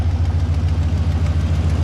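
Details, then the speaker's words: LS V8 swapped turbo Nissan Patrol, on a static tune, cold: fast sharp ticking in time with firing over a slightly uneven idle; tick much reduced but an exhaust leak remains. "bloody exhaust leak is horrible"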